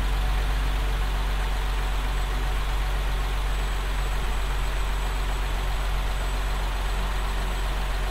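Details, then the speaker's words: 2024 Nissan Z, started right after its first oil change with five litres added: a smooth, even low rumble with a steady beat and no knocks, ticks or misses. It sounds good, a normal idle. "sounds good"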